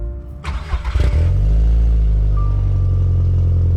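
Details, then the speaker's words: Audi TT 225 after new coil packs and spark plugs plus a temporary ignition coil wiring fix for a misfire; cranking bursts, then catches and settles into a steady, even low rumble with no stumble — misfire fixed, normal idle. "that at least fix the misfire which is good we'll see how long this fix lasts"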